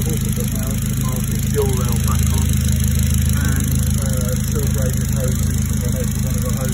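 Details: Mid-engined Triumph Spitfire after repair: loose front pulley refitted with thread lock, squeaking auxiliary belt pulley replaced, new Bosch 630cc injectors and big port manifold; smooth, even idle, steady low hum, no squeal or rattle; healthy.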